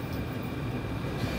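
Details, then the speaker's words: Cheap Chinese diesel heater, first test run: steady even fan rush with faint high note, fuel pump inaudible; running normally, hot exhaust without smell. "i can't even hear that fuel pump like people say oh you can hear the fuel pump i can't hear that i hear a fan"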